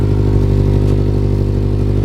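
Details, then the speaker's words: Built Mitsubishi Evo X idling after downpipe-to-test-pipe gasket swap; exhaust still leaking further back, sharp puffing tick riding each firing pulse; T-bolt to be tightened. "Sounds like I have something leaking back there. Oh Lord. What is leaking back here? Definitely sounds like I got something going on. Yeah, that is leaking actually."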